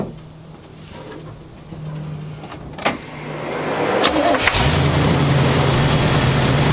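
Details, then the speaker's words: 1985 square-body 454 big block, 4-speed, sat 20 years, oil and filter changed, engine really hot after idle-screw adjustment; cranks, catches, then holds steady fairly high idle that won't come down, cause not found. High idle. "R doesn't want to seem to idle down that's hot that's really hot"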